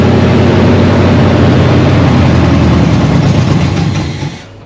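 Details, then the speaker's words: 1979 Chevy C10 with 305 V8, first start in years after sitting in a storage unit, run on a jury-rigged fuel line with brake cleaner in the carburetor: fires easily and settles into a loud, fairly even, healthy-sounding idle, then dies; normal idle. "you guys did hear it run and idle, and actually sound pretty healthy too."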